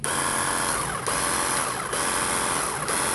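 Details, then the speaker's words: Nagawa cordless high-pressure jet cleaner on a 4Ah battery, run with no water load: steady, even motor hum at constant pitch, no knocks or roughness; motor sounds smooth and healthy. "kalau suaranya cukup halus ya jikalau kita lihat masih menggunakan motor dinamo Brazil"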